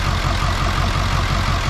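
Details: Ford 7.3 diesel parts truck with radiator, condenser and intercooler removed: heavy idle with a deep chugging beat lurching unevenly, white smoke; rough idle, glow plugs being tested against 0.6-ohm reference.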